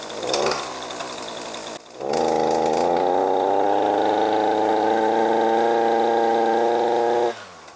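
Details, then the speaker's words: ECHO SRM-2620T two-stroke string trimmer (50:1 mix, two years of daily use with no maintenance) bogs under any throttle with a flat, strained buzz and weak exhaust flow; clogged spark arrestor screen. "so as you heard there it's definitely struggling you can hear it completely bogging down when i give it any throttle"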